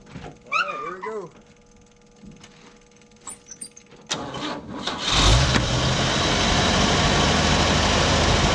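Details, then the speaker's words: 1957 Chevy after complete tune-up, cap and rotor installed, valve cover back on (may still leak), final start of the day: cranks, catches and settles into smooth even idle, no miss, knock or tick; normal idle. "as you can see she runs sounds better i want to crank it up one more time for y'all see how it sounds with the valve cover on"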